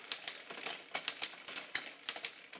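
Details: Bicycle rear derailleur after low limit screw dialed in to remove slack, shifted hard as a test: quick crisp clicks and chain snaps several per second, no chain overshooting; limits set correctly, normal shifting.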